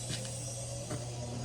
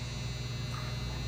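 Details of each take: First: Older Maytag Performa PSD267LHES refrigerator after replacing locked-up compressor, new relay and recharge: quiet, steady low hum with a few faint clicks, normal compressor running. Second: Older Maytag Performa refrigerator PSD267LHES with Tecumseh compressor, new relay fitted, not cooling; steady low electrical hum with no starting kick. Locked compressor, to be replaced.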